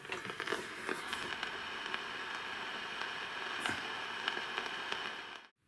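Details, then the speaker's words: 1965 Decca Diadem AM/FM table radio: irregular scratchy crackles and pops over faint hiss from the audio stage; owner suspects the germanium transistor TR6 has a noisy base, crackling changes with volume control. Noisy component causing audio crackle. "I think that transistor is noisy because if you're as I said if you were putting the volume control wipe it down towards the ground you're shunting the base off so it tends suggest that that transistor has got a noisy base all now it's crackling nice"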